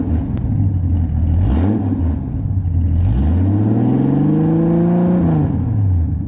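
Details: 1989 Jeep Cherokee XJ, 4.6 L stroker I6, AW4, before muffler replacement: loud, deep, raspy exhaust at idle booming on each rev; the old muffler's bottom is rusted through and blown out.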